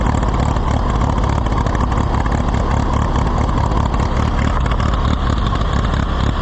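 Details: Allis-Chalmers WD tractor, possibly with a WD45 engine, first start attempt: uneven lumpy chugging that never settles. Rough running, after earlier getting no fuel.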